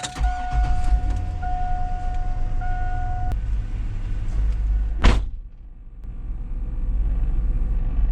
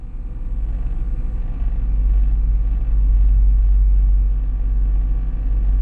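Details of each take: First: 2002 Cadillac Escalade, buzzing from the dash at the A-pillar on turn-on, over low engine rumble: steady mid-pitched buzz from the failing cabin air temperature sensor, before replacement. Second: 2002 Cadillac Escalade with engine running after replacing the cabin air sensor behind the A-pillar: only low steady engine rumble, the former buzzing from the dash is gone; fixed.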